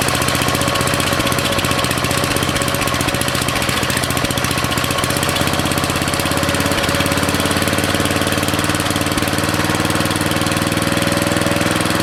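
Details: Briggs & Stratton 13.5 cast-iron-sleeve riding mower engine, rerun with air filter back on after suspected oil in cylinder from engine tilted on its side; steady even thumping at fast idle, no misses or knocks, smoke burning off; good running.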